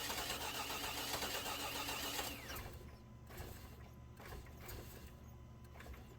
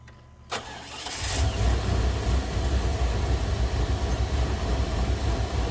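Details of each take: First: 2000 Chevy Tahoe Limited Vortec 350, after sitting under 12 inches of snow: the starter cranks at a steady fast beat with no start, then the engine gives stray uneven hits on key release, sometimes trying to run backwards. Cause: crossfire in a wet, corroded distributor cap. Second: 2000 Chevy Tahoe Limited, Vortec 350, daily driver after sitting under snow; no-start with random hits traced to a corroded distributor cap causing crossfire: quick crank, catches and settles into smooth, even idle with steady low rumble.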